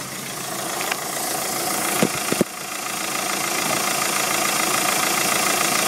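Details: 2007 VW Golf 2.0 TDI 4Motion with DPF (BMM engine), about 136,500 km, idling at standstill: steady airy hiss with a few brief clicks, and an unburned-exhaust smell entering the cabin; cause unknown.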